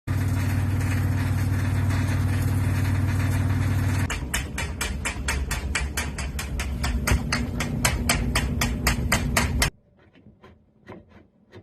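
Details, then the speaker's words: Samsung WF45B6300AC washer hum with quick, regular metallic clacks; a screw had come undone so the drain pump mounting plate bounced up and down. "the problem though was that screw in there had come undone so the whole metal plate that it's attached to was basically bouncing up and down and clacking"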